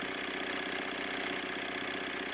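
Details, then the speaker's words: Opel Zafira A, Y20DTH diesel, idling: light rhythmic knock over steady idle, suspected chain or crank pulley; the pulley's cracked rubber damper tears and wobbles, striking the sump or a protruding bolt. "Дело в том, что если она начинает рваться, то рвется полностью, и именно поэтому она стучит, ударяясь о картер или какой-нибудь торчащий болт."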